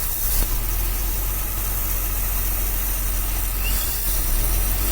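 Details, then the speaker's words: 1966 Dodge A100 van, 225 ci Slant Six, cold start after long sitting, running on a jumper wire bypassing a break between ballast resistor and coil: low even rumble at steady idle, no misses or stumbles. Normal idle. "okay cool just connector jumper that's running pretty good"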